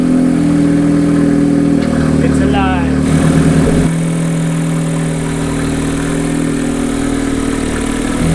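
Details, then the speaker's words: Mazda 13B rotary engine in a Willys jeep, first start, cold day, run briefly: smooth busy buzzing idle rising and falling cleanly with quick blips, no misfire or knock; normal running. "did you hear that exhaust this thing sounds good"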